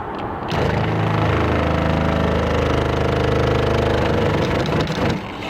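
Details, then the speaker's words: RV fresh water pump short cycling with no taps open: the pump comes up to pressure, a hiss is heard as pressure bleeds back into the tank, then the motor buzz kicks back on; caused by a check valve damaged by freezing. "Alright, so the water pump is coming up to pressure. Alright, so you can, I don't know if you can hear that hiss, but that's the water pressure bleeding back into the water tank. And the water pump is going to kick back on in a second."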